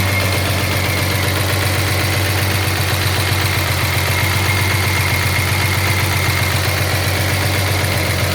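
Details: 1983 Jaguar XJS V12 at idle with a sharp, even knock about four times a second over the engine hum; owner suspects a dropped valve seat, not confirmed.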